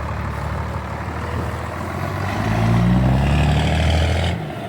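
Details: 12-valve Cummins diesel swapped into a 1967 Ford F100: even steady idle clatter that swells smoothly on a throttle blip and settles back; judged to sound good.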